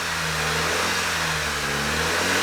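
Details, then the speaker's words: VW Scirocco 2.0 TSI, first start-up after engine knock repair and engine refit, revs held just above idle: smooth even note rising gently with throttle, good oil pressure, no knocks or ticks; normal running. "just so the engine isn't you know at idle it sounds good"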